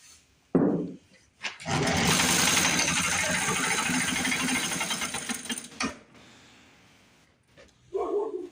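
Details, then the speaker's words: 1950s Lawn-Boy bricktop two-stroke with low compression, cleaned points: catches and runs a few seconds with an uneven buzzy note, then dies; running rough, seemingly on carb cleaner, with fuel delivery through the carburetor still doubtful. "We got a running bricktop, ladies and gentlemen. Running bricktop."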